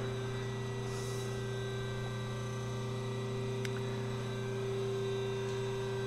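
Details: Big bevel gears on a hobbing spindle, run after moving the mesh out about 10 thou (2.422); a shim is planned for the spindle carrier. Steady even hum, clean constant tone, no knocks or grinding. Smooth bevel gear mesh.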